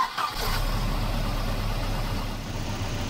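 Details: Volvo 240 with B230F Redblock engine and LH2.2 ignition, before adjustment: engine catches and settles into a heavy, uneven, lumpy idle with a wavering low beat; ignition timing several degrees off, retarded from the correct 12° BTDC, causing hesitation and power loss.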